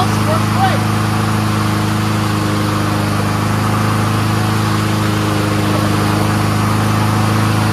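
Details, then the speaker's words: Troy-Bilt 21-inch front self-propelled mower with Honda engine, warming up: steady, even putter with no misses, surging or knocks; runs smooth on full choke and full run, carburetor clean. "runs great really smooth there ain't nothing dirty about that carburetor runs on full choke runs on full run uh self-propulsion works"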